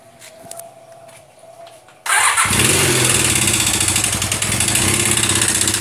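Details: Honda CBR 450SR starting after a quiet spell, then idling with a harsh, rapid metallic clatter over the exhaust beat. The owner first suspected valves; teardown found a melted piston.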